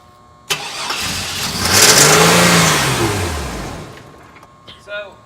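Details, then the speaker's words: 1999 Chevy Blazer, 141,000 miles, after resetting the computer for a suspected code issue: catches and revs about two to three seconds, then sags and dies regardless of throttle; fuel starvation suspected. "So it doesn't matter how much I rev it. It'll rev until Until it's like done."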